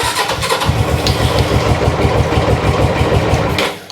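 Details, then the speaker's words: GS twin sat unused for 3 years, just oil-topped and battery connected: fires in a loose uneven beat, revs sag and it stalls, won't hold revs even on choke; owner suspects a blockage in the left carburetor. "No, don't like choke either. Oh, come on. No, I can hear it slowing. I'll give it a minute and we'll try it again."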